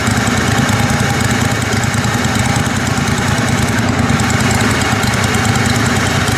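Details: Kohler Command Pro 27 hp lawn mower V-twin after a head gasket repair, muffler baffle removed and a pipe welded on through a washer; loud, steady open-pipe drone with no misses or knocks; normal running.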